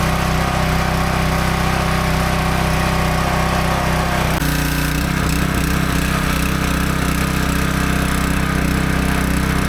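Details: Small single-cylinder pressure washer after replacing the failed check valve in the soap injection system, with no more water coming from the soap port: steady, even speed with the pump humming along and no surging or stumbling. Normal running.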